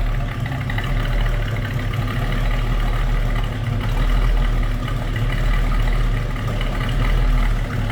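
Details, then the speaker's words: 1968 Chevrolet C10 Stepside small-block V8 with electric fuel pump: deep, even rumble with steady beat, no knocks or misses; normal smooth idle. "Rumble coming out of that small block let me go ahead and pause this just real quick"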